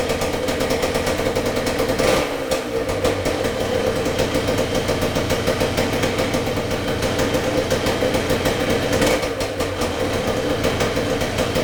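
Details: 1978 Yamaha DT175MX two-stroke, very first start after complete restoration with new crank bearings and seals, new piston and rings and new small-end bearing: crisp even crackle at steady idle with a couple of short blips; normal running.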